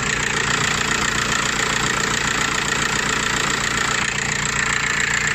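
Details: Audi/VW-group engine (title names alternator as cause of abnormal noise, since repaired): steady, even idle with a light regular tick, no whine or rattle; engine idling normally.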